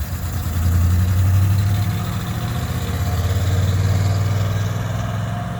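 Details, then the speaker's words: 1998 GMC Sierra, back running after a burst fuel line was fixed and a road test went fine: steady low idle rumble with an even pulse, no knocks, ticks or stumbles. It is known to run poorly under half a tank, suspected fuel pump unit. "We had it out on the road and it seemed to run all right. It's coming around."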